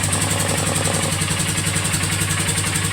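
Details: Polaris Sportsman 450 at idle: dull knock about three to four a second near the gas tank area; loose air box piece knocking, fixed by cushioning and taping the piece.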